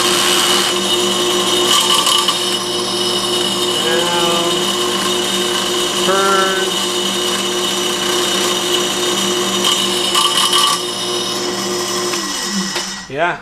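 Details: Accusize tapping head on a dedicated tap station with a new drill, tapping with Tap Magic, set near the "two" line: a steady high-pitched whir with smooth cutting and reversing, no chatter or binding, running properly.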